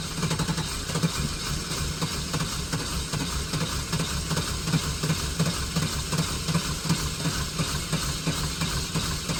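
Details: Neglected OBS GMC/Chevy V8 truck just started after long storage on old gas: rough, uneven idle with an irregular lumpy beat and a steady hiss over it; it is not running on all eight cylinders, cause unconfirmed.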